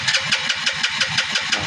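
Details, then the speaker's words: Motorcycle that would not start, after a new plug cap was fitted, gives quick sharp popping beats with backfire, firing briefly but not settling to idle and dying; starts then stalls, cap ruled out. "Try nating start. Uy, may backfire siya. Namamatay. Ayan oh, namamatay siya."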